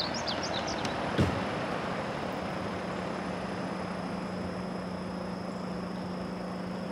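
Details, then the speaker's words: Ductless mini split heat pump just installed on a box truck, compressor running: only a soft, steady low hum; very quiet, normal operation. "oh my goodness this thing is so quiet I can't believe yeah I can feel the compressor running that is incredible guys you don't even understand how quiet this thing is"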